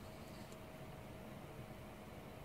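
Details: GTX 980 Hall Of Fame Edition under gaming load with fans at low speed: only a soft, even fan hush, no high-pitched buzz or coil whine; quiet normal running.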